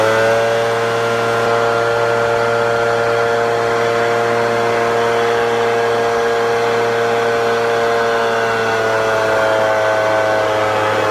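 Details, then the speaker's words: Echo 770 backpack blower two-stroke at wide open throttle with high-speed carb screw turned lean; steady high howl that sags and wavers, then climbs back as it is richened: lean high-speed mixture causing bogging. "put her on a watt wide open throttle I will I'll tune it down so you can kind of hear it struggling and then I'll turn it and crank it back up and we'll see if you could tell the difference"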